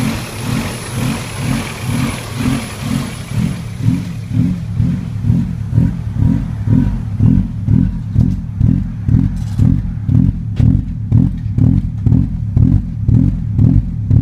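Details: 16V engine with a rough idle: revs rise and fall in steady swells about twice a second without settling; surging, hunting idle, cause not yet found.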